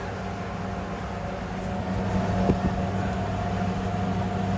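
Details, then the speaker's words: Fisher and Paykel clothes dryer from the dump, first run after main motor capacitor replacement, checking for idler squeaks: steady low motor hum, even drum rumble, no squeal or chirp; running normally. "Make sure there's no squealing squeaks or anything like that. Because this machine hasn't been, I've never seen it turn. So, that's a good sign. Alright. It sounds good."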